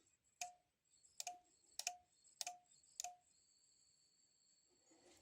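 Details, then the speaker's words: Sonoff S26 Wi-Fi smart socket, dead after 4–5 years of continuous use. Sharp relay clicks, five in about three seconds at uneven spacing, over a faint high hiss: relay chatter from a failed power-supply capacitor. "If you can hear, relay was clicking, and we hear some"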